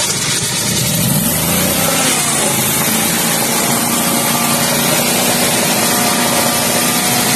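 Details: Pre-Nexus generator after no-start repair with batteries checked good, new terminals and starter, choke plate checked: steady even engine drone with no misses, knocks or hunting; running normally.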